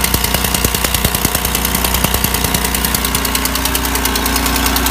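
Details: GM 3800 L67 V6 idling with a sharp steady tick about 200 times a minute over the engine: exhaust leak ticking.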